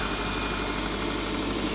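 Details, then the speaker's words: Copart Subaru bought unseen with about 188 miles shown, accident-damaged but running: steady, even idle with a smooth low hum and no knock or miss; the motor sounds okay. "the motor sounds okay"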